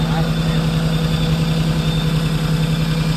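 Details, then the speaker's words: 1979 Land Cruiser (not running like a 24) idles unevenly and lumpily, pulsing three to four times a second and shaking. The temperature sensor is suspected and was replaced afterward, with the fix doubted. Rough idle, cause undetermined. "ssing around trying to figure out why this thing runs so rough runs like dog doo-doo don't run like a 24 I'll tell you that"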